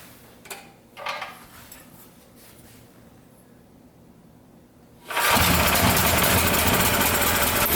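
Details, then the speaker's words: Powerstroke 6000 W generator with a 14 hp Honda-clone engine, after rotor repair, loaded with a 500 W heater and a light bulb: fast, steady roar running slightly high; governor tab to be bent for about 61.5 Hz. "so it's running a little high i'd like to see the hertz at like 61.5 give or take so i'm gonna dial it down a little bit"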